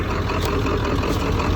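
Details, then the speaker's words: Ford F250 7.3L Powerstroke diesel: heavy idle with slightly uneven, lumpy low beat; rough idle, slight miss at speed, oil in coolant and coolant in oil, low oil, cooling system and oil cooler new (about 400 miles); cause unknown. "Still has a little bit funky idle. I don't love that. Yeah, definitely not happy at idle."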